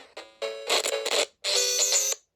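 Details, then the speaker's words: Sega Game Gear with a recapped soundboard and a replacement screen: console tones crackle and cut out in brief dropouts as the volume wheel turns. The owner blames a dirty volume potentiometer that needs cleaning. "To me, that's a problem with the potentiometer on the sound wheel as you're turning it, you see. So that just might want to clean."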